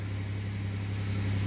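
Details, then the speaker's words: 2008 Pontiac Grand Prix 3.8L V6 after ignition control module replacement fixed cylinder 2 and 5 misfires (new coil packs hadn't): smooth steady low hum, no stumbles, skips or uneven pulses; idling cleanly. "everything's running right got to love it when a plan comes together"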